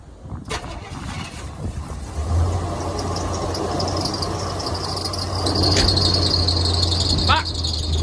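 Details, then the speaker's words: Chevy G30 RV after alternator swap, two spacers added: engine starts, steady high squeal over idle; pulley already hot, new alternator pulley still off by quite a bit, owner suspects the new alternator has a shallower dish. "well I don't exactly know why it's not lining up maybe the difference on the new alternator actually has a little bit shallower dish or something to it that the pulley is not lining up right it's definitely off by quite a bit"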